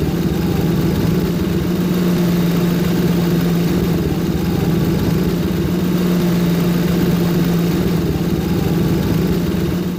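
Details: Ford Crown Victoria at steady, even idle with a low hum; no squeal or chirp from the serpentine belt, accessory drive quiet and healthy.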